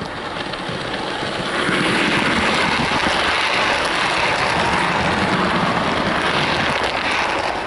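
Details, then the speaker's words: Hornby OO model Class 67 diesel loco 67018 'Keith Heller', loaded test run pulling a rake of maroon coaches: a steady, even motor whir with wheel rumble rising slightly as it takes up the load. It runs smoothly with no strain. "And as you've just seen there, she can manage those with no problem whatsoever."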